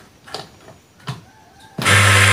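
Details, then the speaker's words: 14kg clothes dryer (spin) motor after repair of its burnt, shorted winding, with an 8 µF capacitor, bench-run: a few handling clicks, then the motor kicks straight in with a steady, even hum; runs smoothly and strongly. "normal sangat. Oke, pabrik tenaga. Wow, sangat kuat sekali tenaganya, tidak mau berhenti pakai tang sampai begini."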